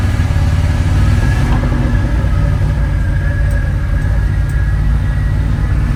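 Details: Dodge Power Wagon W300 1-ton 4x4 truck, 1970s–80s (titled 1980), revived after sitting for years and fresh gas added, after a short drive: deep steady V8 rumble with an even beat and no misses or knocks, running really good.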